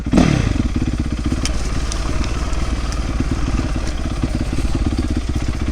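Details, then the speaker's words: 2008 Yamaha YZ450F after fixing valve clearances, cleaning the carburetor, rebuilding the accelerator pump and installing a proper exhaust clamp: crisp, even firing that revs cleanly with no popping. Normal revving, with much better throttle response. "Oh yeah, it's running good. It revs up so much better than before."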